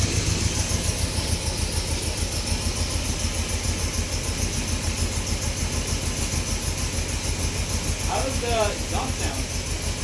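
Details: 1970 Datsun Roadster SPL311, running again after sitting 30 years and now under restoration, warmed up: smooth, steady idle with an even pulse and no misses or knocks; it runs healthy.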